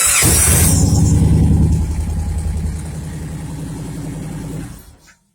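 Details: 2011 Victory Cross Country 106ci V-twin with intermittent no-start, no turn signals and no gear indicator, after tapping the flasher module: brief crank, then it catches and runs with a steady even lope before shutting off; normal start.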